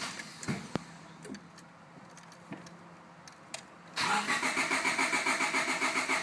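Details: 1998 Honda Civic LX with a new fuel filter, fuel flow verified, spark present and a new main relay: steady starter cranking at about three and a half beats per second that never catches. Cranks but won't start; possibly flooded, cause unconfirmed.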